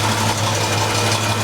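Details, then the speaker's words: 1949 Frazer at idle after a new, very large muffler and new tailpipe were fitted: smooth, even low idle with a soft steady exhaust beat and no ticks, blows or rattles. Sounds healthy and quiet. "put a new tail pipe on just kind of rust it off at the end so get that that sounds pretty good sounds like it's running well too"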